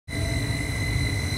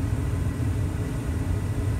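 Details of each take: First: Carrier 58CVA110-20 natural-gas furnace, Jakel J238-150-15217 inducer motor: loud, steady, high-pitched whine over a low rumble that rings through the whole house; worn, wobbling inducer motor bearing before rebuild. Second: Carrier 58CVA110-20 natural-gas furnace after an inducer motor rebuild (HC21ZE127 / Jakel J238-150-15217 motor, new wheel, gasket, grommets, shaft seal): smooth, steady low hum while waiting for second speed; the earlier loud whine is gone, so the inducer runs normally.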